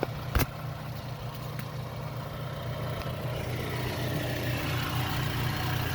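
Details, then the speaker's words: Vauxhall Astra J GTC idling after an oil and filter change, checked for leaks at the oil filter housing: brief knock at start, then low, steady, even idle rumble; no leaks found, engine idles smoothly. "so as you can hear I've actually started the car off I'm just checking down there by the oil filter hous in just around here just to see if I can see any leaks"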